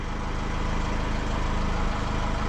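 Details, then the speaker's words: Honda Accord 2.2 i-DTEC diesel started after fuel filter replacement and priming: steady, even diesel clatter at settled idle with no misses or hunting; idling smoothly, healthy. "now let the car run some while it shouldn't shouldn't die out those Hondas are pretty good with"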